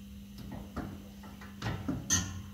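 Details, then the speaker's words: Volkswagen Golf 5+/Tiguan front strut: a few short dry creaks over a low hum from the new strut top mount bearing, installed by previous mechanics with its arrows facing the wrong direction. "Вот такой неприятный звук. А все почему? Потому что криворукие мастера до этого."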